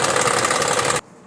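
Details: Classic BMW 2002 engine with a knocking noise; a loud, busy note with a fast, even tapping running through it, then it cuts off. The cause is still unknown and the engine is being removed for repair.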